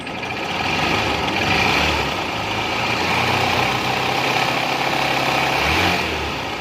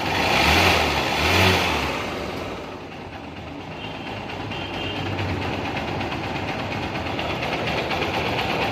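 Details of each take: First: Supremo that became very noisy right after an oil change: a loud, busy clatter rides over the idle, a top-end rattle. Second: Supremo after replacing a soft part with a firmer one (engine had been noisy since an oil change): after a brief rough burst it settles into a steady, quiet idle with no knock or rattle. Quiet again.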